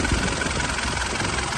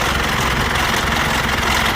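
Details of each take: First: 2008 Mitsubishi Pajero Full 3.2 diesel after replacing the timing chain kit to cure chain noise: steady, even clatter at idle with no chain rattle or irregular knocking; the noise is gone. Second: 2008 Mitsubishi Pajero Full 3.2 diesel at idle just after start: uneven, intermittent rubbing rattle about two or three beats a second from the timing chain; chain rubbing, timing chain kit to be replaced.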